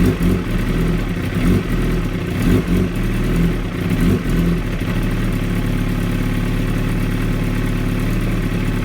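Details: 2016 Kawasaki ZX-10R: lumpy, unsteady idle with loping dips and surges, then a shaky low beat; very rough idle, cause unknown.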